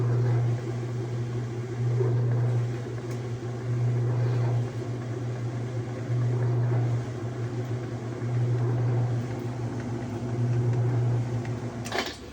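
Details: Whirlpool direct-drive washer tested after replacing the broken motor-to-transmission coupling: low motor hum swells and eases about every two seconds in even strokes, no rattle or clatter; it agitates normally.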